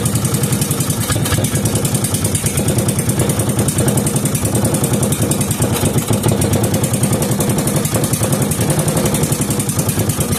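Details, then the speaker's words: 5 hp Briggs & Stratton with gear reduction, old waste-oil-like oil, test run not on its own fuel supply: fast, even single-cylinder putter with crisp regular firing, no misses, knocks or smoke; runs healthy. "That sounded very healthy, and I didn't see any lick of smoke come out of that thing, so that's a good sign."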